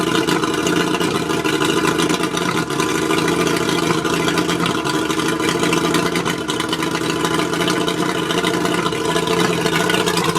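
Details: Mercury 135 outboard misfiring at idle: steady idle with an uneven, stumbling beat under the drone. Spark plugs suspected, not confirmed.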